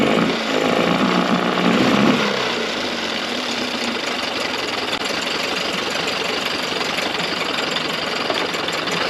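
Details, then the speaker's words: Early-90s 8 hp Mercury two-stroke outboard, first run in a test tank after general maintenance: ragged, uneven, fluttering hunting beat instead of a clean buzz; runs rough with fuel leaking under the carburetor, owner doubts the yellow fuel line is the cause. "so the motor wasn't running the best guys and I noticed is my look under the card got a decent amount of fuel leakage all running down"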